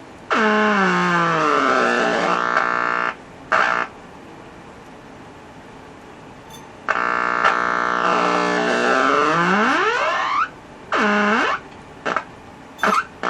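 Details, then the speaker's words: Packard Bell 35 AM radio tuned across the band, local oscillator not running (657 kHz with tuning cap fully open): whistles sweep down and up in pitch with hiss between, no station. Changing taps and resistors made no difference; owner suspects corrosion. "I don't know this thing just makes a good noisemaker I tried changing some of these taps that made no difference"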